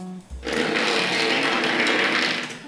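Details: Tri-ang Hornby locomotive motor, modified so the armature sits within the chassis, leaving only bearing play; spins up to a busy buzzing whirr with slight chatter, then winds down.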